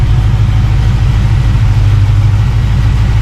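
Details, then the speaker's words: Project car on first fire-up after build, warm at 190°F with 190 thermostat, 60–65 psi oil pressure, low fuel, clutch not yet connected: deep, steady idle rumble with even beat, no knocks, ticks or misses; healthy. "awesome beautiful sound pretty cool pretty cool"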